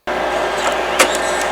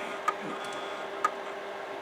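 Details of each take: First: Imation LS-120 SuperDisk drive, eject commanded from Windows because the front eject button doesn't work: short steady eject-motor whir with a light click near the end, pushing the disk out normally. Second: Imation LS-120 SuperDisk drive bought used: sharp single ticks about once a second over a faint motor hum, endlessly recalibrating the head and never reading the SuperDisk.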